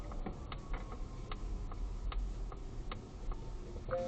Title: Polestar 2 suspension clicking noise after 2 attempts by Volvo to fix